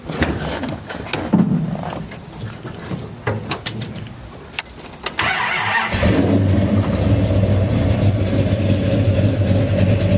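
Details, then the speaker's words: 1969 Dodge Dart with newly installed 440 V8, 4-speed, TTI headers, electric cutouts closed: start-up and handling knocks, then deep steady even lope at idle, no misses or knocks; runs and sounds good. "Runs good. Sounds good. All sounds good coming out the back."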